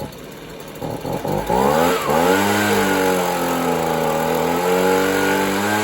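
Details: Free Stihl leaf blower that wouldn't run right: small two-stroke surges and sags, hunting up and down as the mixture screw is opened for more fuel; fuelling suspected off, not confirmed.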